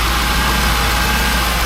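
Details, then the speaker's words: 2002 Jaguar XJ8 Sport (X308), 3.2-litre non-supercharged V8, started after sitting unused for over two years. It idles warm with a smooth, steady low rumble and no knocks, ticks or hunting, sounding fairly healthy. "But that sounds fairly healthy."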